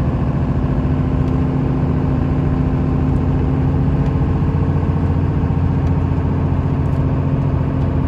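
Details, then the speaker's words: 1995 Dodge Ram 3500 dually 4x4, 12-valve 5.9 Cummins diesel with five-speed manual, about 45k miles, fully serviced, climbing a hill under load: deep steady diesel clatter, gearbox with no chirp or grinding; healthy. "head up the hill so you can hear this cummins run as well as the five speed you can hear how it doesn't chirp doesn't grind"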